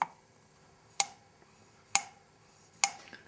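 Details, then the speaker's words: 1974 Honda CB750 cylinder head during rebuild, unlapped valve tapped: four taps about a second apart, each with a short dead ring instead of a bright ping; valve not seating properly, loses compression and needs lapping. "it's a high-pitch tingy metal sound now listen to how dull this valve sounds you hear that"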